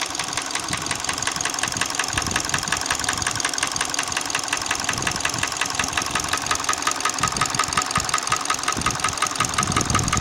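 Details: Hyundai ix35 petrol engine at idle: crisp, regular metallic tapping near three per second above the engine hum at steady idle; internal engine knock, cause unknown.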